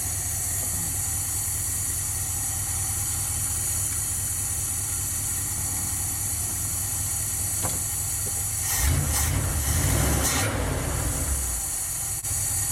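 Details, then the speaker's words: 1977 Dodge Van 318 2bbl V8 in a mileage and horsepower project, first start after reassembly: steady, even idle with smooth low hum, no knocks, ticks or misses; quiet, healthy running. "quiet as can be boy is that steel woo just at this point does it sound like I gained about 14 lbs of torque and about 18 horsepower"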